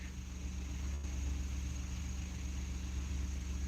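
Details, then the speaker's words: Ford F150 started after clearing codes and priming the oil system, cranked with brake and accelerator held fully down, then released; settles to a low, steady burble at idle with even pulses, no rattle or stumble, while being checked for cam phaser rattle: normal idle. "Crank it, let go. And there you go. It's running."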